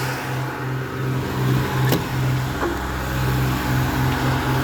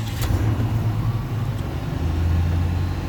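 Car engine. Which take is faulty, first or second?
second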